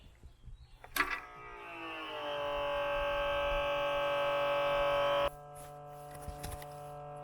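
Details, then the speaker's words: Electric hydraulic pump (goes to 1600 psi) of a Kodiak disc brake conversion on a 2020 Grand Design Momentum 397TH toy hauler, run for a leak check after bleeding: whine rises, holds steady about three seconds, then cuts off; normal pressure build-up. "Because this pump goes to 1600 psi, I'm going to turn it on, let it build up to full pressure, and look for leaks when it's running."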